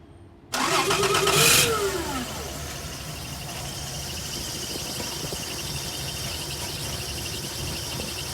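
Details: 1996 Toyota Land Cruiser J80 4.5 1FZ-FE, 155k, run mostly on LPG, new plugs and HT leads, warmed up: a rough crank, then an uneven, stumbling idle with irregular beats. It runs smooth above 2000 rpm. Misfire.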